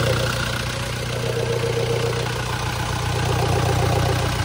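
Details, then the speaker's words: Toyota Fortuner diesel idling roughly with a hissy, noisy edge right after being restarted following a no-start blamed on an electrical/battery problem; the intake hose at the intake manifold is loose and needs tightening. "Ano mo yung intake manifold? Ibalik mo. Kaya pala maingay eh. Higpitan mo yung host to ah."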